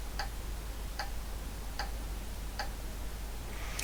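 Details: Vintage IBM PC after replacing a RAM device with two piggybacked 64K DRAMs, powered up: light, even ticks about every 0.8 s over steady hiss during memory check, then reports all 512K RAM; normal power-on self-test.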